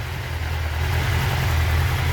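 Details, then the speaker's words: 1996 Suzuki GSX-R 750 SRAD, carbureted, previously a no-start, after the fuel pump was reconnected and the high idle adjuster turned down: a steady low rumble at idle, even and settled, with no hunting or misfire. Normal idle. "Get in, but there you go, running."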